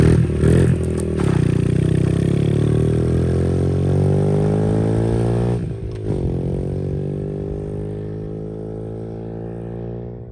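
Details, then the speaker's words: 2003 Honda XR50 single after carburetor set up and adjusted, first ride through dirt under load: revs up cleanly and pulls, pitch climbing smoothly then easing off, no misfire or clatter; running well. "Well, maiden voyage seems to be a pretty good one. He's ripping on it. Gonna go right through the dirt and down through his little ditch. Looks like it's running pretty good."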